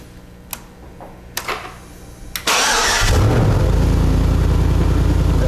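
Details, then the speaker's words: Chevy V8 swapped into a BMW, run on the test stand with the door open: a few clicks, a short crank, then it catches and settles into an even, deep, rumbling idle. Normal V8 start and idle. "we'll fire this baby up and make some noise that we can enjoy for some time to come while we're working on the rest of the car so here we go"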